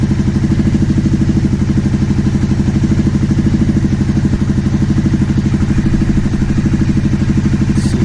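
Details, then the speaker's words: Steady, even idle with a smooth regular pulse on a 2009 Aprilia Shiver SL750, after both air pressure sensors in the airbox were replaced. Idle had jumped up and down after about a minute of running with no error messages. Not the evap or tank air hose. "Steady. So it wasn't the evap, it wasn't the air hose to the tank. Must have been one of the air pressure sensors."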